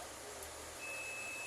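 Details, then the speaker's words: Electrolux microwave blowing its fuse: multimeter continuity test across high-voltage capacitor terminals gives steady high beep, meaning capacitor is shorted; it should not beep. "Não pode bipar quando eu colocar os dois terminar aqui. Se colocar e bipar tá em curto."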